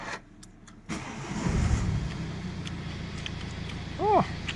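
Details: BMW F30 diesel after replacing a bad, corroded ground cable that caused no-crank no-start with no starter operation: short starter whirr, then fires and settles into a steady diesel idle; starts normally, fixed; normal start.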